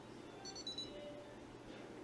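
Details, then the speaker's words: Sky Viper v2900 Pro drone controller switched on with the drone off: short high-pitched beeps repeating in quick pairs over low room noise, warning of no link; beeping continues until the drone is turned on. "all right so you guys hear that beeping noise that means that your drone is not on so it will keep doing that until you guys turn on the Drone"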